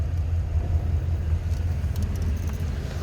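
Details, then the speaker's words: 1937 Ford Model 74 Tudor, flathead V8 on a 6-volt system, stored indoors, started in neutral without choke: cranks over nicely and starts easily, then settles into a low, steady, even idle with no knocks or misses. "Spins it over nicely, starts easily."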